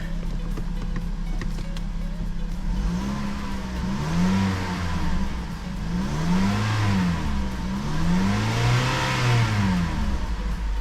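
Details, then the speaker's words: 2011 Mazda CX-7 after crank (timing) sensor replacement and code clearing; engine revs smoothly through throttle blips and settles cleanly, sounding normal. "to me that sounds pretty damn good right now."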